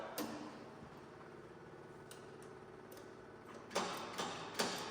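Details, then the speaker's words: Willys Jeep that has sat for a few years: electric fuel pump switched on with engine off, quick even ticking of two or three clicks a second as it primes fuel into the filter before first start attempt; normal priming. "it's an electric fuel pump on here like you saw so I'm going to turn that on and see if it starts putting some Prime into this filter and I can already hear the difference in oh yeah we we' got we're getting fuel up here"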